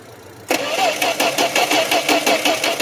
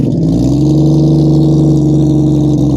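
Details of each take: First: 1972 Plymouth Valiant, cold start: three seconds of steady cranking with even compression pulses, never catching, and still no fuel pressure. Crank, no start. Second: 1972 Plymouth Valiant six just after a cold start, once oil pressure comes up, recorded down by the exhaust: revs climb cleanly and hold smoothly, with no misses, rattles or knocks. Normal revving.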